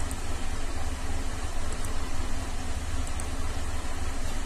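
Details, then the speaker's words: 2007 Cadillac STS 3.6 V6 idling rough with a lumpy, stumbling beat, misfiring on all bank 2 cylinders (P0300/302/304/306) with P0017/P0019 exhaust cam codes. Owner suspects cam timing or a plugged exhaust; oil pressure reads 127.6 psi. "And it's idling right now, but it's running rough and misfiring on that whole bank."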